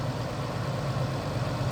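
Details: Vehicle with a no-crank, no-start in about -10 cold, fixed by tightening loose battery terminals on a new battery: quiet, smooth idle with a steady low hum, no roughness, ticking or misfire after restart; normal running.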